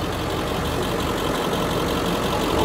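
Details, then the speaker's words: 1970s RV motorhome engine cranked at wide-open throttle with a compression tester on cylinder 6 (90, cylinder 4 reads 70): sluggish, labored churn that never catches; cranking speed clearly slow. "I'm going to put the pressure tester back on there real quick and I'm going to crank it over I'll show you how slowly it's cranking and then I will re-verify that it is the same pressures and then we'll go from there"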